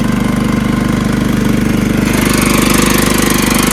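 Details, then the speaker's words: John Deere LT160 riding mower repowered with rebuilt Kohler Command engine (16 hp block, 15 hp crankshaft and connecting rod), new carburetor, cleaned mechanical fuel pump, fuel filters replaced; fast even crisp single-cylinder beat, no misses or stumbles, normal running after repair. "riding around my John Deere LT1 60 with a rebuilt colar engine 16 horsepower block the 15 horsepower crankshaft and connecting rod cleaned out the fuel pump change three carburetors and two fuel filters"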